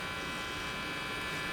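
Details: Philco 53-702 tube radio after replacing the last two capacitors, Variac brought up to 118 V while moving to full power: loud constant mains hum at full speaker volume.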